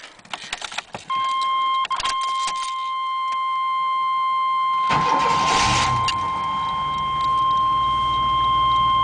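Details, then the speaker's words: 1993 GMC Safari van, 221,000 miles, central spider fuel injection; warning chime, then engine cranks, catches quickly and revs cleanly before settling; normal start and rev. "Yeah, this is what 221,000 miles sounds like. Sounds pretty good."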